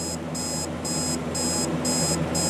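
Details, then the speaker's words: Clock alarm: repeating high beep bursts, about two per second, faint over room hum. The owner suspects the price sticker is covering the beeper; the cause is unconfirmed. Quiet alarm beep. "whether you can hear it it's not all that loud"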